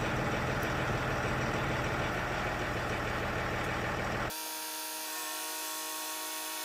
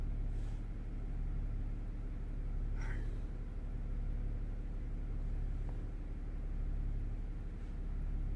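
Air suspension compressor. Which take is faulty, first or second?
second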